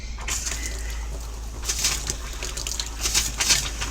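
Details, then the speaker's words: Swift Conqueror 480 caravan water pump switched on, pushing water through as the taps are opened: steady low hum under splashing running water, even and uninterrupted; pump working normally. "so i'll just turn our water pump on you'll hear the water pump start pumping water through"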